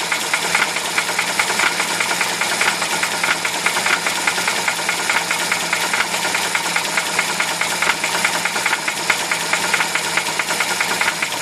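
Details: UZAM-412 engine running with a steady, rapid metallic knocking at a constant rate over it; a clear internal knock, source unconfirmed.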